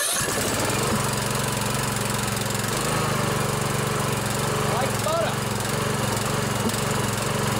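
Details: Briggs & Stratton OHV Intek single-cylinder riding mower engine, first start after valve adjustment with choke on: steady, even beat with no misses, ticks or knocks; running smoothly.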